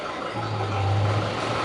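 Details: Diesel engine after rebuild with new injectors, fuel delivery tested and lift adjusted, just reinstalled and started: steady low drone with an even beat, no knocks or misses; smooth, healthy idle.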